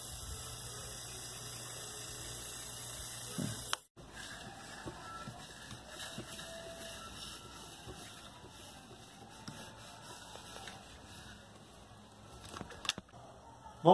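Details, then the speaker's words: Mallory fan after repair: smooth, steady low motor hum with no rattle or scraping, then quiet; remaining sound is the fan's natural noise, running normally. "não está mais fazendo barulho mas são barulho natural dele mesmo"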